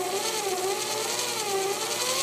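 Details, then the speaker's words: Grizzly G0704 mill converted to belt drive with treadmill motor, run on stock motor driver at low speed with new unbroken-in high-speed spindle bearings: smooth, quiet steady mid-pitch whir, no knocks or grinding, much quieter than before; normal spindle run. "much much quieter quite nice"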